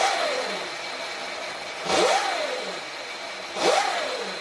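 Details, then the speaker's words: Sur-Ron Light Bee MX electric motor on a stand, powered back on after firmware update and throttle calibration on KO factory-spec controller: smooth whine rising and falling with throttle blips, no grinding or clicking; motor runs normally, throttle more responsive. "Okay, it looks like the bike runs."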